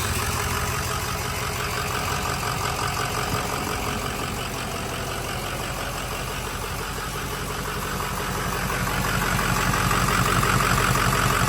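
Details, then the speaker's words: Budget-built 6.0 diesel truck after firing back up: a rough idle with a loose, fast metallic rattle that follows engine speed, from the exhaust vibrating against the inside of the fender. "all that noise that you're hearing that rattling that's the exhaust on the inside ofender"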